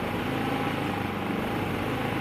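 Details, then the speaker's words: Predator 3500 generator, about three years old, just cold-started, no load, at 123 volts: small engine speed drifting slowly up and down instead of holding steady; governor hunting, owner suspects still on choke. "still oscillating a little bit i don't know if that's a choke hunt it probably is but it doesn't sound like it's going to stall it's just kind of running up running down"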